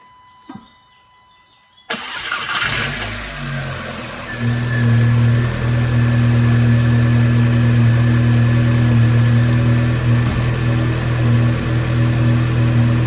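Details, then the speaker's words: 2012/13 VW Golf R MK6 full bolt-on after alternator replacement: starter catches fast, settles into a smooth steady idle with clean rev rises, no knocks or squeals; normal start and revving. "I'm about to bolt the oil catch can back up and then start it up. Let y'all hear that joint running."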